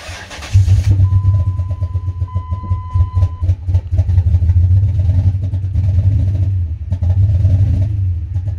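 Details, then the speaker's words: 2004 Dodge Ram 1500 5.7 V8 cranks, catches and settles into a rough, unsteady idle that keeps rising and dipping; code P2172, gross vacuum leak, smoke test shows an intake leak, possibly a cracked intake. "this car has basically um erratic idle uh reports a large vacuum leak with the evap smoke machine"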